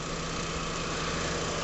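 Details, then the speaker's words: 2001 Mitsubishi Galant GLX SE, 2.0 L 4G63, low mileage (about 7,000 a year), after a new air filter and throttle-body cleaning with carb cleaner: revs, drops back to a smooth, even idle with no hunting, misses or smoke. "Accelerates, drops down, to idle, and doesn't hunt. All's good."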